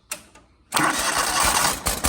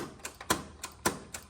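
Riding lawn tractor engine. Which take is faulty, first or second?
second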